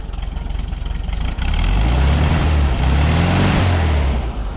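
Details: 1965 VW Beetle air-cooled flat-four after partial rebuild (new pistons and rings, low compression in one cylinder fixed), now starts every time: even idle chatter that blips up and settles back cleanly with no stumble or misfire: normal idle.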